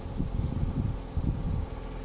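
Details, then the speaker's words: Ford Fiesta petrol, 93,000 on the clock, starts instantly on the key and settles into a low, soft, smooth even idle with light wind over it; no knocks or misses, normal healthy idle. "Turn the key, instantly starts. Not like most cars. But listen how sweet that is running."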